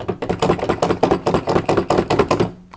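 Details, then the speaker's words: Washing machine drum top counterweight with loose washers, rocked by hand: solid uneven knocks about two or three a second as the loose weight moves on its fixings; tightening the screws should stop the noise. "you can hear it makes quite a noisy sound as well so i'm just going to tighten the screws up and that should tighten the weight back up and help to control the noise"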